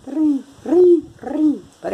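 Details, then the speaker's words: Washing machine during the wash/agitation cycle: a hooting squeal rising and falling with each agitator stroke, about twice a second; the fix involves a 13 mm wrench. "o que que é esse barulhinho quando você colocou somar para lavar roupa ela sempre foi boa também mas na hora de bater começa um trem"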